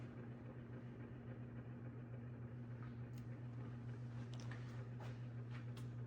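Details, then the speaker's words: 1999 Heritage Specter ceiling fan, newly installed and wobbly out of the box, running at medium speed: steady low hum with a faint uneven rub; motor noise, possibly worn bearings, not confirmed. "Yeah, that noise is a little annoying, but in all seriousness, once I have a fan going, it really won't be audible."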